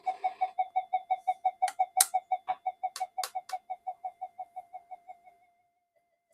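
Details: Old Minelab GP Extreme metal detector on the bench with intermittent no-audio fault; pulsing warble near 700 Hz, about three pulses a second, fading, the "alien spaceship" sound with no detection depth; starts and stops when boards are touched, cause not yet found.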